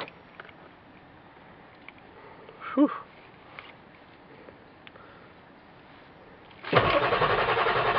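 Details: 1995 Ford F-250 Power Stroke diesel, 5-speed manual, 225,000 miles, about 32°F, no block heater, new batteries: weak attempts, then finally catches and runs rough with lots of smoke; hard cold start, owner suspects bad glow plug relay or connection.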